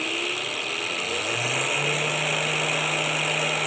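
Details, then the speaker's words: Small motor run from a 12–24 V 30 A LED-strip PWM dimmer, spun up to higher speed: steady hum and hiss with no winding whistle, which is audible only at low speeds. "Mais on entend un sifflement, et c'est l'enroulement qui siffle. À ces vitesses, le sifflement n'est plus audible."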